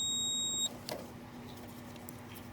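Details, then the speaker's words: Goodman gas pack compressor, leads off, meter continuity test: short steady beep from start terminal to ground; start and run windings both show a path to ground, common does not, so the compressor winding is grounded. "common does not and the run does so the start and the run are both giving us enough to ground"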